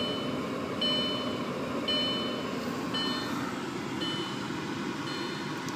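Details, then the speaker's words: 2000 Audi S4 B5 that won't start, after the battery was disconnected for 10 minutes: with the key on, a relay clicks about once a second, believed to be the ABS relay. The check-engine light blinks and the speedometer bounces on cranking; cause unknown. "when you turn the key on got some lights blinking and you can hear a relay clicking as well it's one of the relays is definitely the ABS relay"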